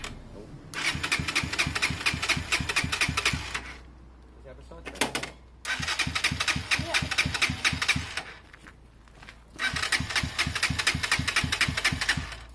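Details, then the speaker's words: SYM XS 125 scooter after swapping a gummed-up carb for a new up-jetted one, with an oversized Black Widow exhaust: loud, raspy single-cylinder blips that rise and settle cleanly. It runs well; idle is slightly rough, and the spark plug is suspected. "that's the black widow exhaust way too big for the bike agreed way too big for the bike very loud but the bike ran very well"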